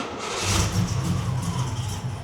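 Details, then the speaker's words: 1979 Porsche 928 V8, freshly started: uneven, choppy beat in the low idle rumble instead of a smooth idle; thought to be a misfire, probably not camshaft. "except for it's got a bit of a chop misfire going on, which I don't think is camshaft. I think it's actually a misfire."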